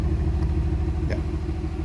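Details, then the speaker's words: 1996 Nissan 300ZX 3.0L with P0306 misfire; deep exhaust rumble at idle with uneven pop-pop pulsing, heard at the exhaust. A high-resistance cylinder 6 injector works only randomly. "Let me show you here in the exhaust and I feel it here. Pop pop pop."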